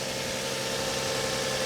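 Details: Copart auction car in Tulsa, engine idling; smooth even idle with steady hum, no knocks, ticks or misses, engine sounds okay but very dirty, timing belt change unknown; normal idle.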